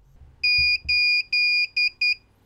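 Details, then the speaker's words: Alliance/Hikvision DVR after first boot giving five shrill beeps, three long then two short, as a fault warning, usually for an input resolution issue or a faulty or missing hard drive. "now this can be caused by a number of problems and the reason that it is beeping at you is to notify you of an issue that may be occurring with a DVR"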